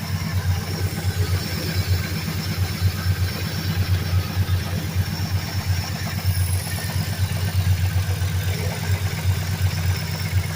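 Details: 2003 Mercury Grand Marquis LSE with 5.4 3V swap (11.7:1 short block, Trickflow heads, Stage 3 cams, long tube headers, high-volume oil pump) at idle: lumpy V8 idle with a dull, deep knock pulsing with engine rotation, rod knock from worn rod bearing.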